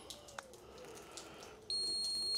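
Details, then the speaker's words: Ford Transit in reverse during reverse-light fault diagnosis: after faint clicks, a steady high-pitched electronic tone holds; reverse parking sensors are powered and working, while the reverse light fault is a bulb. "What you can hear, reverse sensors are working. That means that we're definitely getting power up to reverse kit or it might be a genuine one."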